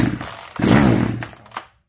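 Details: Zenoah 3800 chainsaw, unused for a long time, given starting spray: small two-stroke catches, buzzes roughly about a second, then dies; carburetor diaphragm found hardened and needing replacement.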